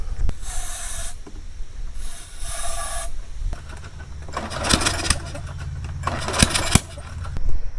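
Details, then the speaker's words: Small engine that runs only on starting fluid: fluid sprays hiss, then it catches briefly with an uneven low sputter and pops before dying. It is getting spark and the carburetor leaks; a bad carburetor, ignition coil or spark plug is suspected, not confirmed. "I put a little bit more oomph behind it and it kind of got a pop backfiring noise type of thing so that tells me it is getting spark so I'm going to spray some more carb flid in it so or starting fluid so you can hear"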